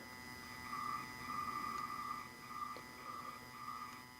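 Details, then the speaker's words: Homemade boombox speaker with no music playing and the lights switched on: faint high whine and buzzy tones pulsing unevenly. A ground loop lets the light circuit's electrical noise in, mostly from the spectrum analyzer. "once the lights turn on this thing gets super noisy can you hear that it's mostly this uh Spectrum analyzer even the Spectrum analyzer is picking up the noise"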